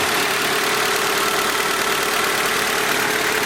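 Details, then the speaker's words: Civic with engine just retimed, started up; steady idle with a dense, uneven rattle over the engine note, which the owner says comes from the transmission, on its way out. "The nasty rattle it has is from the transmission. It's on its way out."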